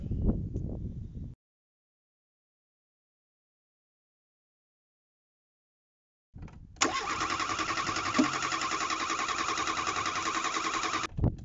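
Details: Revived Renault 4 (F4) wreck engine: after a quiet gap catches and runs with a steady hissy whistle over uneven idle; air leak suspected, source not found, carburetion poor, but no suspect mechanical noise.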